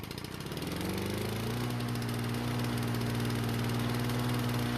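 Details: Lawn-Boy mower after replacing badly damaged brake cable (won't-start fix), briefly flooded when taken off its stand: catches and settles into steady even putter; running normally.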